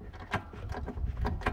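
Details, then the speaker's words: Denali plow on a Polaris Sportsman 850 SP ATV, plow pushed side to side after fitting a tighter spacer: hollow irregular clicking knocks, very little movement left compared with about an inch and a half of play before. "you can hear it clicking but there's very little movement compared to what there was"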